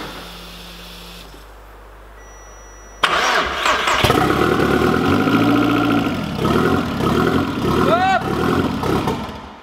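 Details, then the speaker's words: Turbo 1.8 20v petrol engine build planned for about 400 hp, injectors temporarily wired up with the rail held by hand: cranks, catches, runs unevenly several seconds, then stalls from a fuel leak at injector number one. "déjà tombe dû à une fuite d'essence là il fait des censures l'injecteur numéro un"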